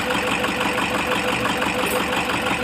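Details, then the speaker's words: Toyota HiAce 2KD diesel at idle during cylinder balance test: uneven lumpy beat with light knock; cutting cylinder 4 changes nothing; finding: rough idle from dead cylinder, defective number four injector. "masabi natin defective injector natin kailangan natin na magpalit especially dito Sa number four"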